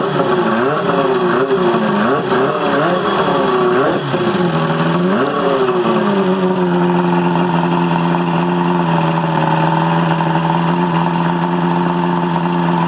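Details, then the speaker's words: 1978 Johnson Evinrude V4 115 outboard, first start in a couple of years after carb job and fuel system drain and flush, primer-started, 120 psi compression on all four cylinders: quick throttle blips rise and fall cleanly, then a smooth steady idle; normal running. "all right sounds good check the compression earlier and there's 120 on all four cylinders"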